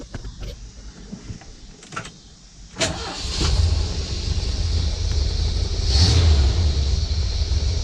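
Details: 1979 Ford Pathfinder Quadravan 4x4 V8 with new carburetor, restarted after short driveway drive: clicks and handling noises, brief crank, catches at once, settles to steady smooth idle, good oil pressure; normal start.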